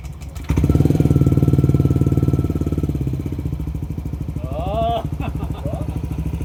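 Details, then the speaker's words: Yamaha NMAX 155 V2, previously hard to start, first start after hours of throttle body cleaning and refitting the IEC sensor on the throttle body: catches quickly, blips up with a rising hum, then settles into a steady low putter for a normal idle. "Matapos ang ilang oras na paglilinis, papaandarin ko na nga itong motor para alamin kung nagkaroon na nga ito ng idle."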